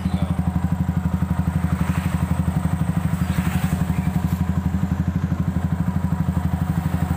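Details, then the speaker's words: Yamaha Vixion after water pump seal, piston rings and cylinder block were replaced following a dry radiator and knocking: even, steady low thump about four beats a second with no clatter or knock; idles smoothly and healthy after repair. "Ring piston sama bloknya kita ganti, blok pistonnya. 2 hours later. Ya, motor udah halus, pistonnya."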